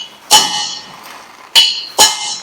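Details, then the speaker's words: Hammering a heated and frozen-fitted crown gear bearing outer race into the trumpet housing of a Ferguson TED20 tractor. Three sharp, bright ringing taps, solid not dull, show the race has bottomed out and is fully seated. "I am pretty certain that's gone all the way down yes there you go there's a second outer race installed in two trumpet housing without much ado"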